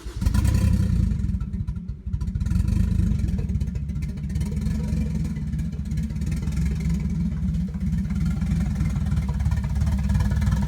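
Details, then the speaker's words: Nissan 240SX S13 with a 1JZ swap at first start-up idle in the shop, mass airflow sensor unplugged: heavy, lumpy low rumble with uneven, stumbling firing; running rough and rich, shop left smelling of unburnt fuel. "wasn't running that great cuz the mass airflow sensor is not hooked up and these things like love their mass airf flow sensors and absolutely hate life without them"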